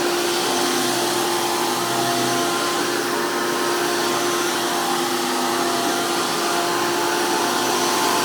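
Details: 2002 Hoover PowerMax II U5246-940 upright vacuum with 12 amp Elite motor, after motor work: loud, steady high-speed motor roar with constant rushing airflow from a 20-blade impeller, no wavering; normal strong, healthy vacuum motor running.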